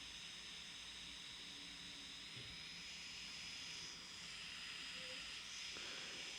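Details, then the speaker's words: Kandao 8K 360 Pocket camera powered on but idle: a constant airy rushing hiss with a thin high whistle as the small cooling fans run hard; they stop when recording starts. "Deci când este camera pornită așa se aud ventilatoarele dar noi când începem să Înregistrăm se opresc"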